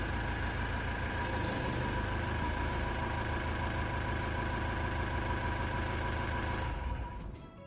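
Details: Old Mercedes van with replacement used diesel engine (about 200,000 km), new clutch and front brakes, after engine failure repair, cold November day: steady, even diesel idle with low rumble, no knocks or rattles, then fades out; healthy.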